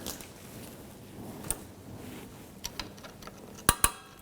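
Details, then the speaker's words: Rear drum brake on a 1997–2006 Jeep Wrangler: a few crisp, irregular clicks as the adjuster wheel is turned by hand. The lever catches the star-wheel teeth, showing the springs and self-adjuster are installed correctly. "you can hear it clicking, you can hear it engaging, so all of your spring setup is all correct."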